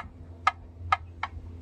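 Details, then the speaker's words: 1989 Jeep Cherokee XJ 4.0L I6 with AW4 automatic: engine off, the cracked flexplate gives sharp metallic clicks, about two a second, when rocked by hand; it was quiet when cold but noisy after driving. "I guess the metal is cracked and it just clicks leave the top of like a Snapple bottle or something like that"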